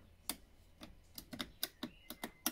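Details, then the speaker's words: VW Eos convertible with a faulty roof: about ten sharp relay-like clicks in under three seconds, no motor run; the car knows the windows are down but won't raise them, only offering "continue roof operation". "nope okay notice it knows they're down but doesn't want to bring him up"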